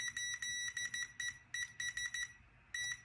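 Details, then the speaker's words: SafeFlight lift detector (stall warning vane switch) on a multimeter continuity test: the beep cuts in and out in uneven bursts. The switch clicks but only makes contact when the vane is pressed all the way down, so the contact is intermittent. "i don't know if you can hear that but the switch is making contact but only if i press all the way down on the stall vane"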